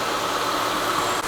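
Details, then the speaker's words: Normal idle of a 2006 Mitsubishi Lancer ES just revived after years abandoned in storage. Smooth, even idle hum with no knocks, ticks or stumbles; the engine is running cleanly and sounds perfect. "thing's running good this sounds perfect no tick nothing"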